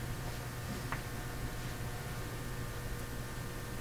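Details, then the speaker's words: Canadian General Electric A55Z tube radio after a capacitor mounted wrongly by a previous repairer was relocated, no antenna, furnace running nearby: low steady mains hum under faint hiss, heard through the speaker. "I hear the hum already and my furnace is running now in the house and that's makes the hum a little harder to distinguish but I can hear it quite clearly"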